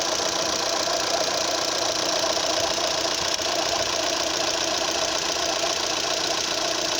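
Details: Opel Z18XER petrol engine at idle (the noise occurs only at idle): a light, fast metallic rattle of roughly three to four beats a second, suspected to come from the camshaft phaser. Ticking noise at idle.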